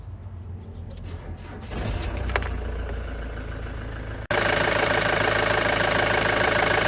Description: Short video of a Ford Transit with a Misfire at idle and partial throttle or light loads fitted with a 2.4 TDDI Diesel duratorq engine.